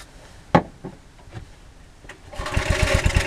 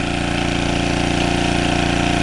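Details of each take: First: Early-1980s Generac S1500 portable generator, cold day, started with starting fluid, carburetor rebuild suspected: catches after a few pulls, runs rough about three seconds, then sags and dies; hard cold start. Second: Early-1980s Generac S1500 portable generator on a cold day, finally started after starting fluid and gas were poured in. Steady, even single-cylinder drone with no misses, running smoothly under no load.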